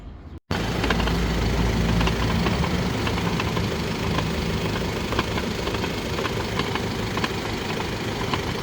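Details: Mercedes-Benz W167 GLE350de hybrid (EQ Power), low mileage: rough rasping grind repeating three to four times a second over drivetrain rumble while driving; transfer case failed. Temporary fix: remove the electric motor on the transfer case until serviced.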